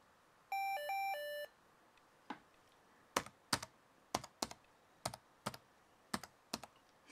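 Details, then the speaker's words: Lenovo ThinkPad T61 with a failing hard drive: a short stepped two-tone chime, then irregular key clicks; source unknown, resembling the PCMCIA insert/eject sound of older Dells. "Yeah, that is a very interesting sound. Oops. You know, that sound actually sounds quite a bit like the PCMCIA eject and... or is it eject or insert? The insert command on a lot of older Dells."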